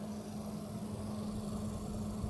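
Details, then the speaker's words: Voltage-hardmodded, liquid-cooled GTX 580 pushed toward 1 GHz under a GPU stress test: steady fixed-pitch hum-whine under fan rush; coil whine now extreme, absent before the voltage mod. "you can actually hear that you're I'm working when I can't does something because um the color wine is pretty extreme actually it wasn't before so my voltage mod pretty much made the caliber and go straight up to eleven"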